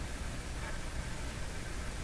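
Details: Philco 53 shortwave tube radio, power-up on the bench out of its cabinet, about 50 mA flowing through the tubes, volume turned up with no station tuned: steady even speaker hiss with a low hum underneath, no crackle or squeal; normal background.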